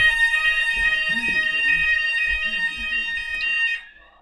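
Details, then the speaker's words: EMS Firecell fire alarm system on test: a bathroom sounder heard through a door gives a steady high electronic tone for nearly four seconds, then cuts off, working normally. "sound that is extremely loud in there that speaker so yeah there is a speaker in there"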